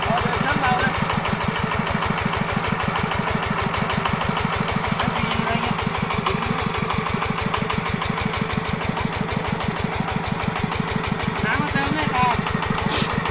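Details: Yanmar 105 walk-behind tractor single-cylinder diesel pumping water to plant sugarcane, under heavy load: steady hard thumping about three beats a second, a harsh engine knock under load.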